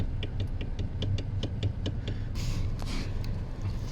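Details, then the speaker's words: 2021 Mazda CX-30 steering wheel rocked left and right: sharp light clicks about four per second, with shake and rattle over bumps; U-joint and bolts fine, so a steering column assembly fault, likely matching a service bulletin. "Don't know how well you can hear that, but there is a shake slash knocking noise in that steering. So, it clicks at times turning left and right."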